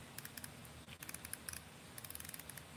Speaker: should be able to hear that baby. You should be able to hear those drag clicks, right?